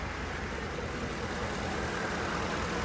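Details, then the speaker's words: 2010 Ford F-150 after repairing damaged MAP sensor wire and clearing misfire and cam timing codes: engine idles with steady even hum, no misfire, no shaking. "It sounds like a champ. No more misfiring. No more No more shaking."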